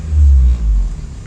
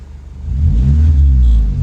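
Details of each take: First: 2012 or 2013 Honda Civic with all engine mounts just replaced: fine at idle, but a deep boom swells and cabin vibrates when revving; vibration persists after mount replacement, cause still being investigated. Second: 2012 or 2013 Honda Civic revving after replacing a destroyed engine mount with the correct hydraulic unit, muffler broken: deep even exhaust rumble climbing smoothly, no rattles or vibration in the cabin; normal revving, mount fixed.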